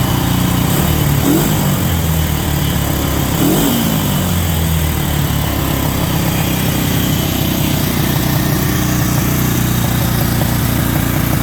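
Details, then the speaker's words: 1963 Honda CB77 305 Super Hawk twin, started cold, first ran on one cylinder because a spark plug was unplugged. With the plug reconnected it settles into a quick, steady beat on both cylinders, running clean and normal. "okay i gotta say this thing runs pretty good"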